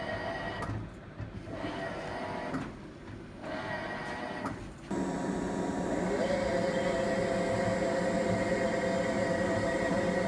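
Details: Hitachi BW-D7MV washing machine: rhythmic swishing pulses about three per second, then a steady droning hum with a ringing tone; abnormal noise present since January 15, recorded February 19, cause not found.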